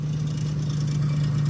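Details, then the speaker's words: Lincoln Aviator with a swapped Terminator Cobra engine, supercharger belt removed: a rough idle with a hard, fast, high-pitched tapping that started suddenly. The stock gauge shows no oil pressure, suggesting oil starvation or timing components, unless the sensor has failed. "where can confirm no oil pressure at least here on the uh stock gauge it will not focus that is a big rip unless your sensor just went bad and this noise just started"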